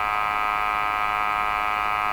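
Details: Westinghouse 535 radio during IF alignment checks (IF near 460) with an SDR and scope: loud steady buzzy hum with many stacked tones at a constant level, suggesting hum through the audio stage. Cause not confirmed.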